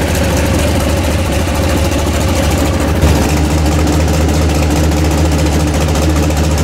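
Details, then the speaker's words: Freshly built 406 small-block Chevy in an S10. Loud, steady low rumble at idle with an even firing beat and no tapping or knocking. Fires good, normal healthy idle. "good nothing yeah I like how she fires good drum sounds better"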